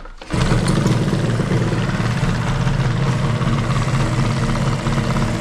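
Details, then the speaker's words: 1985 Yamaha RZ350 two-stroke twin, on a makeshift setup before a rebuild. It runs lumpy, apparently on one cylinder, with the right cylinder weaker. The owner suspects fouled original spark plugs, not confirmed. "well it's uh running kind of poorly really seems like it's running on one cylinder um the right cylinder seems to be maybe a little bit weaker"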